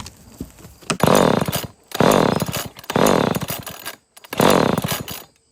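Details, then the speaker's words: Old Canadian-made Homelite chainsaw, possibly 1970s–80s, from the scrap yard, has compression, air filter mostly missing: four quick pull-cord bursts of rapid chuffing that die off without firing; cranks but won't start. "That's a no."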